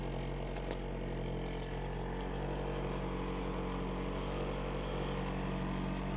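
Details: 1995 Honda Prelude Special Edition, fired up after sitting about an hour since it was last moved: a steady, even low hum with no knocks, misses or ticks over a quiet background. Normal healthy idle.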